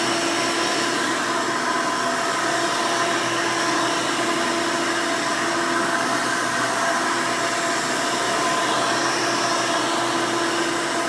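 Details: 1992 Hoover Elite II Total System Performance 650 upright vacuum, model U4689-910, bought used, motor untouched: loud steady whoosh with even motor hum, no pitch wobble, rattles or grinding. Runs very smooth and sounds good.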